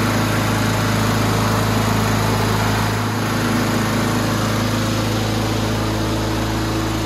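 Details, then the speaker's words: Free roadside Husqvarna 7021P push mower after a carburetor clean and maintenance, oil warm: small single running at a steady, even pitch with no surging or misses; runs great. "huh I can't ask for much better than that folks nice she's a survivor"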